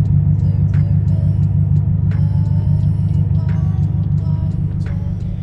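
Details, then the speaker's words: BMW N62 V8 (4.4/4.8L) with new spark plugs and coils checked good: deep idle with an uneven, lumpy pulse about three times a second; rough, choppy idle, jumpy off the brake, before cleaning the VANOS solenoids. "so as the RPMs rough you can see the idle it's a little yeah it's a little choppy you can't really see it maybe you could hear it"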